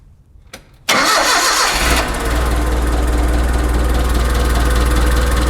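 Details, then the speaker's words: Mitsubishi forklift after no-start fixed by replacing bad distributor, spark plugs and wires back in: quick crank, clean catch, smooth even idle with no misses; running good now. "got everything wrapped up spark plugs in spark plug wires distributor forklift is running good now"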